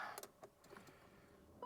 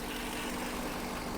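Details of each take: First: 1997 BMW 740i that sat for years, fuses checked and relays swapped: strong, even cranking rhythm that never catches or fires; no-start from lack of fuel due to a failed fuel pump. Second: 1997 BMW 740i after years sitting, first start after fuel pump replacement and relay swap: quiet, even idle hum with no stumble, tick or surge, not shaking much; running smoothly.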